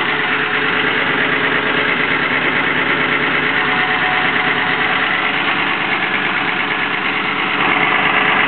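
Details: Engine at idle after the exhaust leak was fixed: steady idle with a busy, rough rattly overtone throughout; abnormal engine noise remains, source not pinned down.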